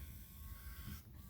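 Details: 2018 Ford F150 electric rearview mirror that had not moved left and right (dealer suspected the switch), after reseating the actuator until its white knob engaged; quiet, even one-second motor whir, no clicking or grinding, normal.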